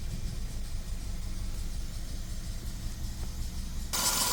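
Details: Audi A3 petrol engine idling with an uneven, stumbling beat, cylinder 3 misfire with codes P030300/P130A00, keys rattle at end; described as a simple fix, cause not confirmed.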